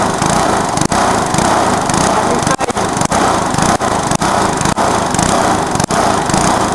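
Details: Lawnmower engine, possibly Briggs & Stratton, run deliberately to destruction with a little nitro added: screams flat out far past safe speed with sharp cut-outs and pops every second or so, then catches fire; engine over-revving.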